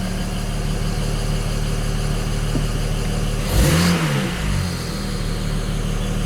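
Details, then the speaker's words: BMW 335i N54 just after installing index 12 injectors and coding them, acoustic engine cover off: fast light ticking over a smooth idle, a quick rev and drop back. It is normal direct-injector noise, louder because the cover is removed. "remember my injectors are going to sound a lot noisier because the acoustic cover's off right now"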